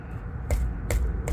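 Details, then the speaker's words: 2001 Dodge Ram charcoal canister shaken by hand: loose gritty bead rattle, beads move freely so not saturated with fuel; canister fine during emission refresh of leak pump, filter and purge valve. "oh this is the bead style system you can hear the beads in there and if they're moving around like that they're typically not saturated so this is probably a good system"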